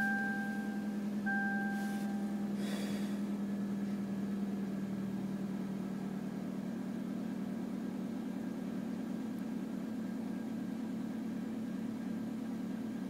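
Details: 1993 Toyota Corolla making a steady low droning buzz over an even idle, heard only when the engine is cold. The pitch doesn't change and the cause is not identified: cold-engine vibration noise.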